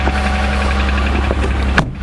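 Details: Car cold start at about 35°F after sitting overnight, oil four quarts Castrol Edge Titanium plus one quart Lucas synthetic additive: low steady drone with faint irregular light taps; possibly cold piston slap, unconfirmed.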